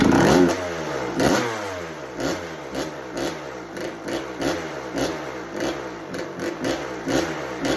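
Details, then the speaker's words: 1986 Kawasaki KX125 two-stroke bought as no spark, no start, kicked on choke: uneven, stumbling bursts about once a second that rise and fade; fires but won't idle, owner later suspects a fouled, wrong spark plug. "She doesn't want to idle on us, but she's alive."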